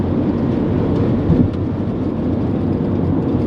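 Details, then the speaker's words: Honda Element cabin on the freeway at about 40–50 mph, AC off, before weatherstripping repair: constant deep roar and rumble with no tones or knocks; excessive road and wind noise, worn door seals suspected. "AC off and yeah definitely road noise that we need to repair"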